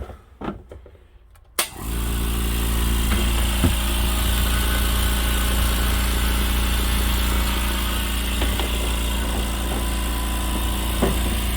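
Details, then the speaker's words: California Air Tools 6310 ultra quiet air compressor: after a brief start-up clatter it settles into a smooth, even low hum, quiet like a fridge compressor; normal running. "sounds like an industrial compressor on a fridge it doesn't sound like a compressor at all so it's pretty cool"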